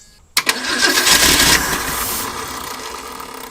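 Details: Abandoned Ford Durango sitting 9 years, corroded coil contacts wiggled to restore coil power, old fuel in tank smells bad: short burst of quick, even cranking that never catches; crank no start, fuel supply suspected.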